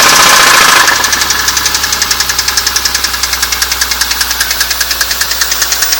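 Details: BMW E46 M3 engine running: light, even ticking about three per second over a steady engine run; cause of the tick not identified.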